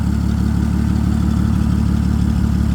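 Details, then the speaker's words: 2008 Toyota Camry Solara, exhaust a little louder; smooth steady low hum at idle with no knocks, ticks or misses; normal idle. "The motor sounds good. It seems to be doing what it's supposed to be doing."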